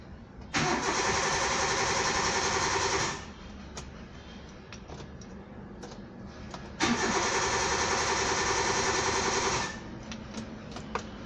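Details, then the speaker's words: Car cranks but won't start: two bursts of steady, fast starter cranking, each about three seconds, with no firing; likely blown 20 A ECM fuse cutting engine control power. "as you can see here engine is spinning but it's not starting now let's check the fuse if any fuse is blown"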